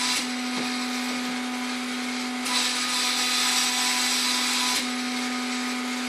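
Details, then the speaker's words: Stepper motor on an Epson LQ2070 dot matrix printer being converted to a vinyl cutter, driven by Mach3 at 2000 Hz (2000 steps per second): a strained high-pitched whine with rough hiss and surges, the motor unhappy at this speed. "we've changed that now to 2000 hertz or 2 000 steps now this motor seems to be unhappy at the highest speeds"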